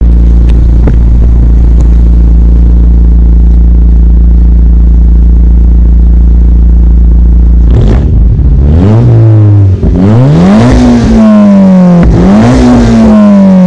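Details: Toyota MR2 Turbo 3S-GTE, exhaust clip: loud lumpy idle drone then stumbling uneven pulls on revving; misfire from small crack in the block at cylinder 3, heard in 1st and 3rd.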